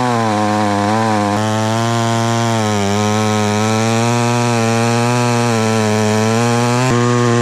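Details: Very small chainsaw found in the trash, never repaired and not run for years, started easily without starting fluid. It holds a steady, crisp buzz with slight speed swings and revs cleanly. Idles well, power normal, healthy.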